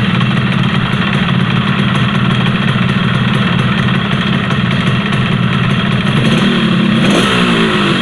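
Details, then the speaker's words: Yamaha RX-King two-stroke: raspy idle with a fast dry ticking over the low thrum that sharpens on a blip; piston slap from a loose piston in the bore, to be fixed by pressing the piston rather than reboring. "Jelas ya, kedengaran suara yang melitik oblak piston."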